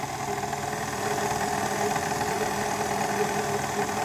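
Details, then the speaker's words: Brand-new, never-used KitchenAid Artisan 5KSM175 stand mixer on first power-up: rough, scratchy rubbing noise over the motor whir, not smooth, as if internal parts were fighting; a problem is suspected, cause not confirmed. "C'est pas fluide. On sent très bien qu'il y a un problème."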